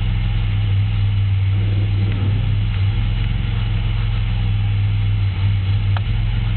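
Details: 3.8 V6 running: deep, steady knock keeping time with the crank, started as a loud tick; no misfires, no knock retard, no oil shavings, 55 psi oil pressure; confirmed spun rod bearing; rod knock.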